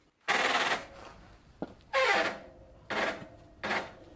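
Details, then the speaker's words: Early-1990s Gazelle roadster bicycle front drum brake (Gazelle-made, Sturmey-Archer-like): loud rasping skipping bursts about once a second when nearly stopped; owner suspects rust inside the drum, cleaning planned. "the front drum brake on this early 90s gazelle roadster makes a loud skipping noise when you have almost come to an hold"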